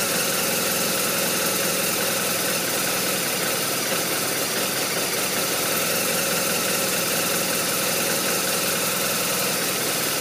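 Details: BMW R1200RT boxer twin at idle: steady gruff idle with an uneven, lumpy undertone; rough idle, cause unknown.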